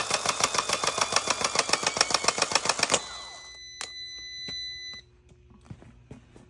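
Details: 2020 Ram 3500 Laramie 4WD, 6.7L Cummins, starter tested with constant 12 V jumper: rapid metallic clatter, three or four hits a second for three seconds, as the solenoid plunger pops in and out instead of staying out; solenoid suspected bad or stuck.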